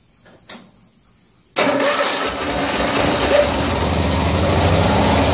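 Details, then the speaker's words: 1974 Cushman Truckster cold start after a wiring fix, with the fuel tank pressurised by air compressor: the engine catches and runs lumpily, but the fuel pump still isn't pumping fuel into the filter, a fuel starvation problem. "a little bit still not pumping anything into the filter"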